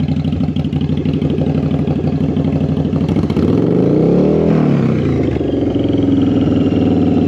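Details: Twin-cylinder bobber motorcycle with new Cobra exhaust, after carburetor synchronization; even loping idle, quick throttle blip climbs and drops cleanly, settles back steady; carbs balanced, normal idle.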